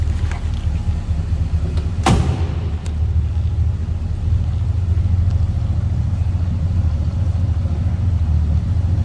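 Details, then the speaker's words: 1968 Ford Galaxie 500 sedan, stock 302 V8, heard from behind at tailpipe; deep steady rumble with even unbroken beat, no ticks or misses, no loud exhaust, healthy idle. "No crazy exhaust or anything over the top. Just a nice sounding 302."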